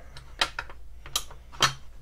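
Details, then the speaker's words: Single-stage AR trigger on a 416 Barrett build: light sharp clicks about a second apart with a faint rough scrape on reset; very slight, extremely gritty reset that behaves like a pseudo two-stage. "there's the reset, and it's a very slight and extremely gritty. I don't know if you can hear that."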